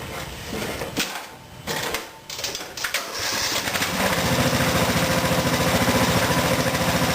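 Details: Craftsman mower after fuel tank replacement, test run with top cover off: a few pull-start tugs, then catches and settles into a fast, even putter with no stumbling; running fine.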